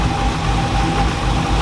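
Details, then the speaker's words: Dodge Challenger Hemi V8 after a bad lifter was replaced with Hellcat lifters and a bad cam with a new Comp 274 cam: deep even idle, smooth low rumble, no ticking or knocking; back to quiet, healthy idle. "back to purring like a kit nice and quiet"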